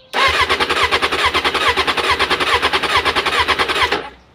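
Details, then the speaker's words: Suzuki 600 Bandit under restoration, after refitting a half-loose pin on the starter relay wire: with the ignition on and clutch pulled, strong even cranking at about seven compression beats a second for four seconds. The starter now works. "Voilà, on voit que ça marche. Maintenant, le contacteur de démarreur fonctionne."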